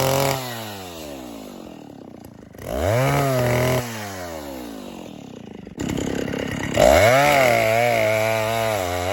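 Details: 1960s Stihl 08S two-stroke chainsaw, about 60 cc, after richening high jet further: revs up but burbly and sagging instead of clean full-throttle scream; over-rich high-speed mixture, adjustment too much, turned back.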